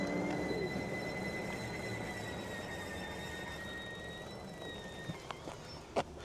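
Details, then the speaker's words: Hovsco HovGTRS 750W 48V fat-tire e-bike while riding: a thin, steady high whistle over the ride that sags slightly in pitch as speed drops; the source is unidentified. "Okay, I have no idea what is making the noise. So, for some reason, we are making a very peculiar noise. It's kind of cute. Like I have a puppy underneath."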